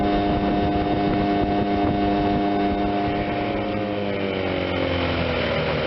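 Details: 1976 Johnson 15 hp two-stroke outboard under way after carb rebuild, new fuel pump, fuel lines and points, Sea Foam decarbonizing; compression 130/127; 21 mph GPS. Even, steady buzz, no misses or knocks, then smooth wind-down. Normal running.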